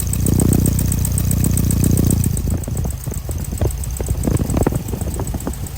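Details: Restored 1969 Volkswagen Beetle, 4-speed manual, air-cooled flat-four boxer, recorded close to the twin pea-shooter exhaust pipes: steady low burble, even pulses about four a second, no misses or knocks; healthy normal idle.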